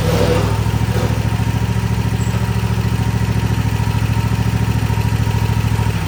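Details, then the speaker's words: Toro TimeCutter 50 in mower, Kawasaki FR691 engine, before valve adjustment: steady fast ticking over a lumpy low idle, even in time; valve clatter from excessive valve lash. "She's got a pretty good little rattle back here. Sounds like the valves need to be adjusted."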